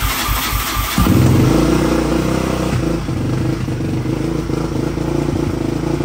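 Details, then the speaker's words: 2004 Yamaha Raptor 660 dual-carb with Pro Design intake, K&N filter, no airbox lid, full Yoshimura exhaust, running on choke: uneven stumbling run with irregular pops and spits; suspected bad gas, dirty carbs or wrong jetting. "I'm going to start it up it'll run on choke like I said but it just it just runs like crap it kind of pops and"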